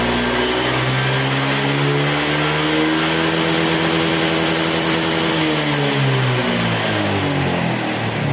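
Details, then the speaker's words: Honda Vario 125 scooter after TPS installed, before reset, throttle blipped slowly: engine note rises smoothly, holds and falls back evenly, rpm in sync with throttle with no stutter as before; normal revving. "OK, Bro, for the gas and engine, the handphone rotation and the sound of the engine are in sync, there's no interruptions or fussing like before, it's smooth"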